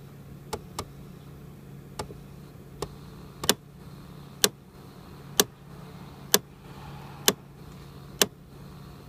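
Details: 2001 Mercedes ML320 with central climate dial on blue (cold), heard through the removed glove box: sharp dry clicks about once a second over a quiet fan hum, coming from behind the glove box.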